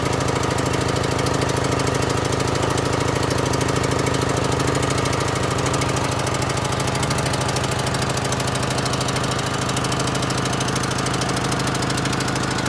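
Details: John Deere L100 mower that would not run, first running after revival, tyres flat: loud, lumpy, uneven beat with constant clatter; running rough, owner suspects bad fuel because of the smoke.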